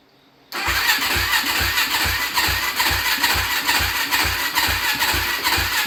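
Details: Yamaha Blaster ATV with a swapped YFZ 450 engine, bought without hearing it run: fires quickly then runs with an uneven pulsing beat about twice a second; fuel starvation, no gas from the tank, fixed by switching to reserve.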